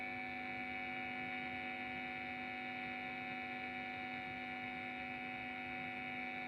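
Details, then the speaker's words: Guitar-effect power adaptor (9.28 V output) plugged in gives a steady buzzy hum with a bright upper edge; mains noise leaking into the pedal supply, measured min 42, avg 49, max 50 dB. "Langsung kita colok. Terdapat suara yang mencurigakan. Oke, tidak apa-apa."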